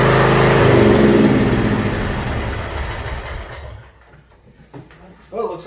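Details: Yard Machines (MTD) budget 42-inch riding mower after new starter install and safety switches reconnected: small engine runs with steady, even chug, then winds down smoothly to a stop; functions checked, everything working properly.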